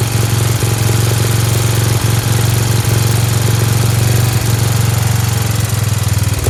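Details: Dayton lawn tractor's 11 hp Briggs engine, started on its own with choke, steady even low putter with no misses or knocks, speed a little high with a spring disconnected; healthy, idling fast.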